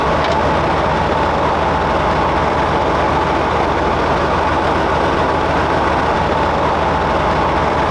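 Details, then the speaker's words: StuG III restoration, drivetrain run without tracks, unloaded: loud, even engine and gearbox roar, no knocks or grinding, brakes operating; gear rattle said to go away under load, thicker gear oil planned. "better. Sounds great, man. It sounds good. The brakes are operating."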